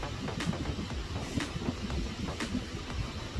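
Engine runs with a low, even rumble and no steady whine from the pump while the wheel is turned; the steering sounds healthy.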